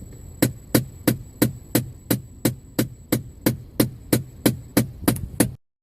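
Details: Ford Fiesta ST before replacing failing driver and passenger blend door actuators, with defroster and footwell air not working: sharp, evenly spaced clicks about three per second behind the dash, then silence. Clicking in dashboard heater controls.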